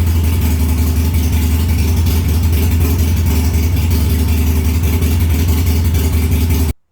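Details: Harley-Davidson Sportster after a short to the ECM was fixed, error codes cleared and a new battery fitted: deep, steady V-twin lope at idle with an even beat, no misses or knocks; runs normally.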